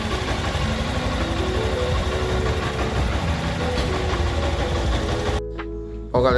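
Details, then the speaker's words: Honda Bros 160 single-cylinder after repair of engine noise by replacing cylinder kit and connecting rod: steady, even beat with no tapping or knocking over the exhaust; noise gone, normal running. "Motorzinho ficou OK, ficou zero, pessoal, zero bala, sem um barulho, pessoal."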